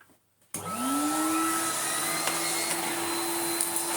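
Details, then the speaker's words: 1990s Numatic BX190 (BX.BX) vacuum on second try, bag and filter not yet emptied or cleaned: motor winds up to a steady high whine that sounds strained; struggling, restricted airflow suspected from bag or filter. "I think as valiantly as our little BX.BX is trying, he is struggling. Let us help him out by emptying him and maybe cleaning his filter."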